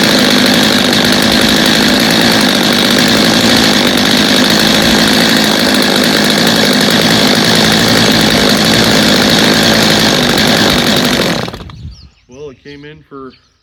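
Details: Stihl chainsaw after reassembly, little adjusting needed: steady, high-pitched two-stroke scream holds even and clean about eleven seconds then shuts off; normal healthy running.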